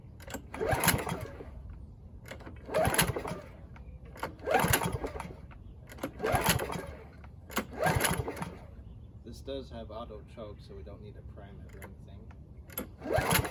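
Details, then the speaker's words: Free Husqvarna mower, throttle cable missing, first start attempts: rope pulls about every two seconds spin the engine briefly but it never runs. Cranking but not starting. "I think it's time we put some fuel in the spark plug hole and see if it fires up."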